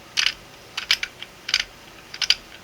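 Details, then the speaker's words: 3D-printed single-print 1/2" quick-release reversible ratchet switched to the other side: crisp bursts of light clicks turning counterclockwise, maybe a little stiff at first; it won't turn clockwise, normal ratcheting. "Now we're going to turn counterclockwise. You can hear it turning, clicking. Maybe a little difficult at first,"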